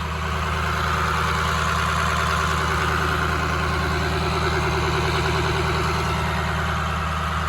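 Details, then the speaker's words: 2003 Ford F350 with a swapped-in 2006 6.0 Powerstroke diesel, after a coolant flush and fill, held at about 1200 rpm high idle to purge air bubbles while warming up: even, steady clatter, no knocks or surging; running healthy. "we're just rolling it up trying to get the air bubbles out about 1200 RPM high idle"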